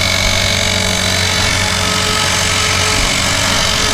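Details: Blade 360 Fusion RC helicopter in flight: harsh, gritty grinding over the rotor buzz throughout, steady and loud, caused by sand in the main spur gear.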